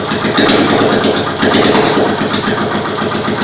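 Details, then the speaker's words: Freshly rebuilt and assembled Royal Enfield Classic UCE engine idling with no silencer fitted: loud, crackly but steady single-cylinder thump with no knock or rattle. Harsh only because the silencer is missing; normal idle. "देखि जो आप य sound सुन रहे हैं यह हमने बिना silencer के यह आवाज आप सुन पा रहे हैं लेकिन जो इसकी रियल आवाज है वो इसके साइलेंसर के बाद ही आपको मिल पाएगी"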